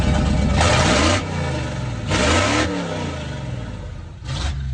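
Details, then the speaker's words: Sub-$2000 Corvette with a blown transmission, revved stationary: three sharp blips rise and fall over a raw, loud, barking, nearly unmuffled exhaust, likely open headers into a collector; loud exhaust note when revving. "I'm not gonna lie, that sounds pretty good. It's kind of making me think I want to keep it. Of course you want to keep it. No, like keep the exhaust."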